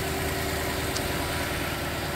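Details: 2013 Toyota Land Cruiser 200 Series V8, 228,293 miles, 64°F, no warning lights: smooth, steady, even cold idle with no knocks, ticks or misses; healthy engine, radiator and upper coolant hose previously replaced.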